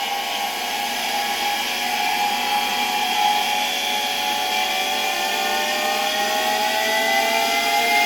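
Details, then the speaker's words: 1965 Alfa K2 vacuum cleaner, Sk-5b motor, run on an autotransformer at slightly raised voltage: smooth even whine climbing with speed, bearings quiet, little brush sparking; motor runs well despite dirty condition. "Listen, I have a feeling that considering the condition we found this motor in, it's actually not bad. It started quite nicely. The bearings aren't making much noise, and there's not much sparking in the b"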